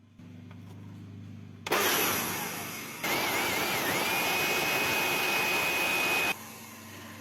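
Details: Discarded Flymo GV650 leaf blower/vacuum with a universal motor, tested after repair in which the melted part was reworked on its last coil turn. It starts sharply and holds a steady high whir for about four seconds with no sputter or crackle, then switches off cleanly: normal running.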